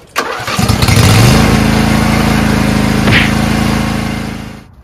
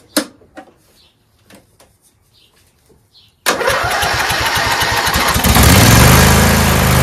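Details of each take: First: Lawn tractor after fitting a new U Plus AGM battery (old one failing): it cranks briefly, fires at once and settles into a smooth, steady idle; it starts easily and runs healthy. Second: Lawn tractor cranked on an old 350 A battery reading 32% health, with ether starter fluid sprayed in and choke on, before a new AGM battery was fitted; a few faint, sluggish cranks, then it catches and runs evenly: hard starting from a weak battery.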